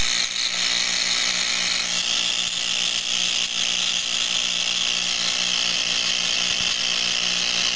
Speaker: As you can see, it sparks occasionally. Oh, we got a little streamer coming off the top there.